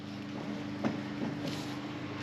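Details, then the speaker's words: Hammerhead GTS 150 engine idling with steady hum and no rattle after tightening the loose dashboard and its pivot bolt. "all right so we fixed our rattle as you can see here no more noise"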